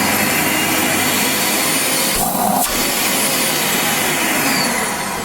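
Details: Wertheim 5035 vacuum cleaner after motor replacement for grinding motor sound: smooth steady high-pitched rush with brief dip, no grinding or rattle; new motor running cleanly.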